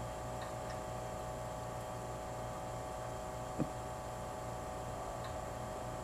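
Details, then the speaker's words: Old GE Monitor Top CK-2-C16 refrigerator compressor on three cans of R152A, about 175 PSI high side, evaporator cooling: quiet steady low hum, no knocking or surging; motor load going down, then 262 watts; normal running. "Notice the load on the motor is going down. That's encouraging."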